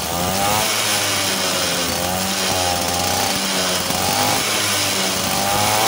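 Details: TVS XL Super two-stroke moped after reassembly with reed valve fixed for a starting problem, kick-started: crisp buzzy note rises and falls evenly with the throttle, firing cleanly with no misses; running healthy.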